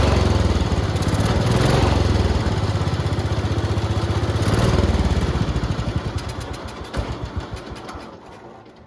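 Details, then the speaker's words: Late-1960s to early-1970s IH Cub Cadet 126 revival: single-cylinder thumping surges and sags, then winds down unevenly. Rough running because the throttle is unsecured and free to wander; black smoke from the carburetor, which may need tuning. "The problem is that there's nothing holding the throttle from just moving, so the throttle is just moving, which you know is kind of a problem, but I'm sure it's fine."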